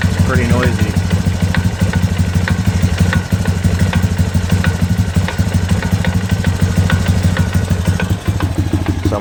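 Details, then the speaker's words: 250EX quad, low hours, recently revived: steady single-cylinder idle with light uneven tapping about three per second; stethoscope places knock at clutch side, owner suspected crank bearing, hopes clutch free-play adjustment fixes it. "all right so I've been taking her tinkering around with this thing since I got it running and it's running pretty good right now but the engines making a knocking noise and I was concerned originally I thought it was a crank bearing"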